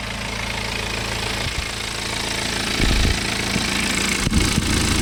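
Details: BMW N47 20d 177 PS diesel at idle, May 2020, about 30,000 km after a January 2019 timing chain replacement, same phone as before: steady even clatter, no rattle or scraping from the front; chain drive sounds healthy.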